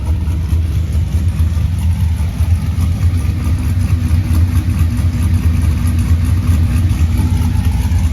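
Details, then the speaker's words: Normal idle on an 84 Ford F150 V8 after a few months with the harness out and number 8 spark plug replaced: deep, even rumble with no knocks or ticks, 64 psi oil pressure, no coolant, run only briefly; owner thinks the plug fixed it. "I know I missed that noise. 64 pounds of oil pressure. I can't run it for long."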